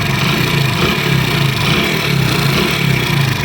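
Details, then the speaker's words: 2022 Honda Pridor motorcycle engine at idle, before repair: light repeating tinny rattle over the engine beat, timing chain rattle. "अगर वो भी आप रिप्लेस करेंगे खुद तो आपकी बाइक के इंजन, ये जो आवाज़ आ रही है ना, ये देखें आप, बार बार आवाज़ आ रही"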